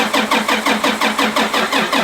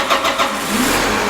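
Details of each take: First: Tractor (the 340) cranking after fuel filters changed, air being bled from filter breather without success: starter churns about two and a half compressions per second, never catches; crank no-start from air in fuel system. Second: Tractor (the 340) with starting trouble after a fuel filter change and bleeding: brief crank catches quickly into a steady, even engine note with no stumbling; a clean, healthy restart.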